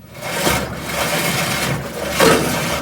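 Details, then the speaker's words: GE washer agitating a small load, harsh rasping scrape swelling each agitator stroke as the sagging tub hits the cabinet bottom, getting worse; mode shifter disengaging; fix is suspension rods repaired with split shaft collars instead of replacing shocks. "washers trying to agitate now this is a small load motor belt everybody's hitting the bottom and it's gonna get even worse"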